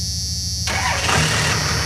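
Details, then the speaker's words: Second-generation truck with a 5.9 Cummins, started after sitting during quarantine: a brief crank, then it fires at once and settles into a steady, even diesel clatter at idle. A normal, healthy start. "Woo! Dead reliable, I say."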